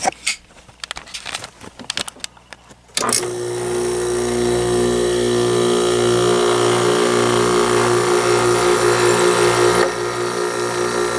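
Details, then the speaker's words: Arctic King WWK05CM81N 5,000 BTU window air conditioner, made 11/2017, R410 refrigerant: compressor engaged in cooling mode, a steady hum with rhythmic pulsing vibration that settles; cause of the start-up vibration unknown, compressor otherwise sounds fine. "I don't know what those vibrations. There we go. Not a bad sounding compressor."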